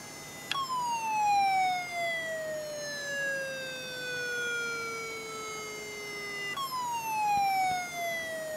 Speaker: Hey Leute, ich habe jetzt hier eine Laptop-Festplatte und die macht komische Geräusche.